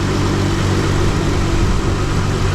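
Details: Chrysler Town and Country van after repair, engine running while checking charging: steady, even low rumble with no knocks, ticks or whine; smooth, healthy normal idle.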